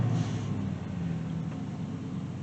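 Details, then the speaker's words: 2000 Dodge Durango, about 162,739 miles, before an oil change: deep, steady V8 rumble with an even beat and no knocks, ticks or misses; normal idle, sounds really good for the mileage. "sounds really good for almost 163 000 miles"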